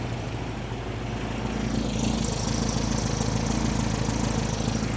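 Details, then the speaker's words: 1973 VW Super Beetle 1760cc air-cooled flat-four with dual 40s, idling with no throttle linkage, after adjusting a loose #3 exhaust valve: even, quiet idle with a light steady valve tick and no knocks or clanks; normal. "sounds so much happier that it's not, you know, clanging, banking, and, you know, clanging, banging, and making all sorts of noises. This sounds good. It's quiet. It's not too loud."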